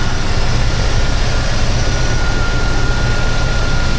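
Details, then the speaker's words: Push-button start after the battery-to-starter-solenoid cable was repaired in a no-crank no-start case: strong, steady low drone with an even beat, no stumbling or knocks; engine starts and runs smoothly, about 13.3–13.4 volts. "Start it up very nicely."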